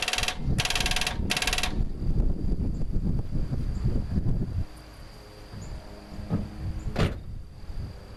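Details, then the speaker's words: 1969 Dodge Dart 273 V8, previously stuck and soaked two months, with a replacement-style starter powered by a weak jump pack: sluggish, uneven thumps as it turns over slowly for a few seconds before petering out; not enough battery to spin it. "this jump pack is weak so it's probably not gonna turn fast or turn very long"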